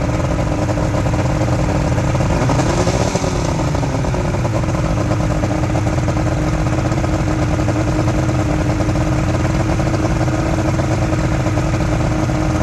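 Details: Outboard motor from a junkyard Ebb Tide bass boat, steady even two-stroke burble at idle, no misses or knocks; owner says it runs really good and will keep the engine; normal idle.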